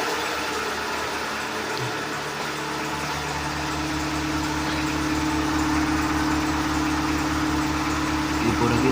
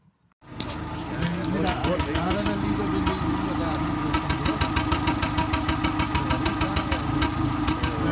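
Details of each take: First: Seat Ibiza 6L 1.4 petrol with check-engine light and cylinder 4 misfire code, normally running on three cylinders with exhaust bangs; here idling with a steady, even hum, belt audible, no pops or backfires at this moment. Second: Seat Ibiza 6L 1.4 petrol with engine light on, idling on three cylinders: uneven stumbling beat with sharp popping pulses heard at the exhaust; fault code shows misfire on cylinder four; coil and spark plugs to be checked.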